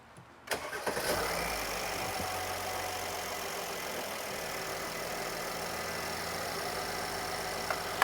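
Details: 2017 Mercedes GLS 450 3.0L, no codes or dash lights: brief crank, catches within a second, settles into smooth even idle with no stumble; normal quick start.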